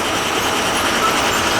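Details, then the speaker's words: Old pancake boiler after a new burner motor was fitted and an upside-down circulator turned around: steady, even rushing roar with no whine; burner now quiet, normal operation after repair. "put a new burner motor in there for now it's quiet"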